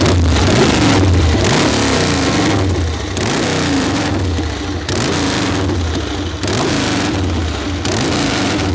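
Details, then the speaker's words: Excelsior V-twin ("Harry"), first start in 3.5 years after wet spark plugs were swapped for new ones: strong, lumpy beat climbing and dropping cleanly with each throttle blip, firing evenly with no misses; normal running. "That's what Harry's supposed to sound like."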